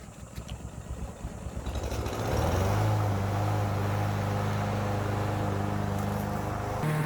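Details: Troy-Bilt TB110 mower with a Briggs & Stratton engine that sat for months and then stopped working: a few chugging pulses, then it catches and settles into a steady, even drone at constant speed. Healthy running.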